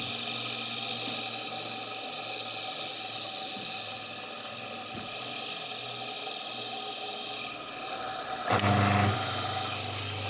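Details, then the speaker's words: Homemade disc sander built from an old Soviet bench grinder, disc fixed with M4 screws: quiet, steady motor hum with constant tone, no wobble or rubbing; disc spins true and even. "пожалуйста всё работает всё ровно"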